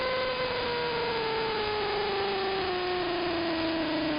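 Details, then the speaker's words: Interference across the entire AM band: steady whining tone sliding slowly downward in pitch over hiss, like a motor winding down; not apparently RF, owner suspects an electromechanical source, possibly the industrial park two blocks north. "And you can tell when it's shifting down, it sounds like a motor in stages. It sounds like it's shifting gears. Strangest interference I've ever heard."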